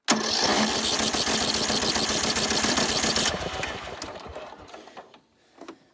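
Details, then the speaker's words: John Deere L100 riding mower, single-cylinder engine, non-runner from a friend, valves backed off, choke on, original battery, fuel a couple years old and smelling rank; fires with an uneven stumbling beat then dies, rough running suspected from old fuel. "trying to name that smell smells like rank rank old Fuel and I mean I mean the fuel in this thing's a couple years old anyways"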